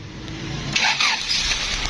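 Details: 2000 Honda City that cranked but would not start, after reconnecting a loose earth (ground) wire: brief cranking whir, then engine catches at once and settles to a steady run; starts cleanly.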